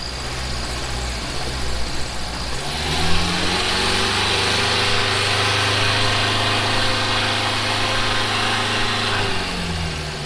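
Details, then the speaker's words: Toyota AE86 after switching to a new plug-and-play aftermarket ECU: catches and settles into an uneven, lumpy, loping idle; seems to be missing on a cylinder, ran better as a three-cylinder; cause unconfirmed. "it ran better as a three-cylinder that it doesn't look good"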